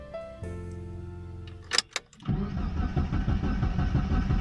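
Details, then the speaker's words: Mitsubishi Lancer engine cranks with steady churning rhythm but never starts, engine and battery lights on; cause is a faulty camshaft position sensor, to be replaced. "ये देखिए, ये स्टार्ट नहीं होगा, ये क्योंकि इसका सेंसर ख़राब है।"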